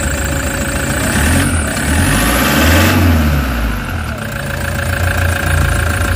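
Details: Toyota HiAce common-rail diesel after EGR fault repair (codes P0400/P0406), vibration gone: steady idle with a couple of gentle revs, no rough shaking beat; smooth running after the fix, check engine light still on.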